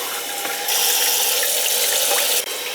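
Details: Toilet that banged when filling, after fill valve replacement and adjustment: strong, steady hiss of water rushing into the tank under high supply pressure, with no banging or hammering.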